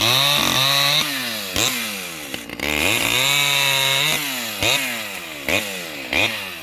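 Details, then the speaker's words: Vintage STIHL 011 AV mini chainsaw cutting trees: high, buzzy two-stroke wail dips under load as it bites into wood, then climbs back to full revs; running cleanly and healthily. "so yeah she's a little beast let's fire it up and i'll go cut some trees"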